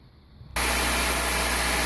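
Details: 2000 Toyota Celica after replacing exhaust manifold and flange gaskets for a small manifold leak (P0171 lean code), first start: engine catches and settles to a steady even idle, low hum under constant hiss, no ticking or puffing; normal idle.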